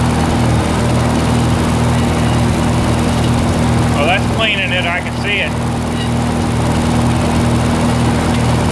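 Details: 1948 Lincoln SA-200 welder engine, long unused, revived with little work, with a short stack with resonator: a steady, even low idle with no knocks or misses, smooth and fairly quiet. Normal idle.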